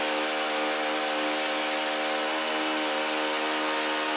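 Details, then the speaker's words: Echo/Stihl-type two-stroke trimmer on half choke after first sputter, running at about half throttle or just off idle; steady high even buzz, no misses or rattles, normal running. "now when you crank this engine up it's going to be running at about half throttle or just off idle"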